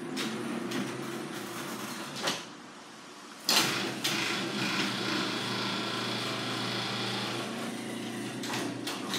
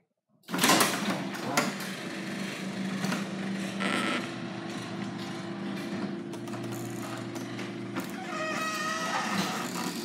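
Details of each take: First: Garage door after oiling and lubricating to cure squeaking: steady smooth rumble of travel with only a couple of soft thumps at start and stop, rollers and springs running quietly. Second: Garage door before lubrication: opener motor drones steadily while the moving door adds intermittent high squeaks and rattles, typical of dry rollers or hinges; cause suspected, not confirmed.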